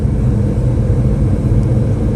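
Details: M1028 CUCV heater blower motor on high after fixing the blower resistor (mouse nest found): even steady low rush of air, no squeal, ticking or wobble; low, medium and high speeds all now work.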